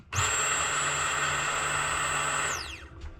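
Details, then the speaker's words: Turbo M50 BMW E30 surge-tank fuel pump bench-tested outside the tank, stock-tank pump relay disconnected: steady high whine for over two seconds, spinning down smoothly at key-off; it runs fine outside but not inside, owner suspects a clogged fuel filter. "so the fuel pump working outside every time I turn the key on but not when it's inside"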